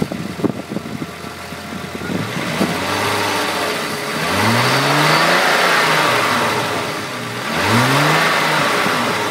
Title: Mk3 vr6 mystery rattle/noise